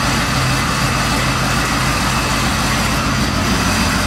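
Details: Dodge Dakota first startup after engine rebuild: loud, steady rumble at idle, even beat, no clear knock or miss; fired up and settled.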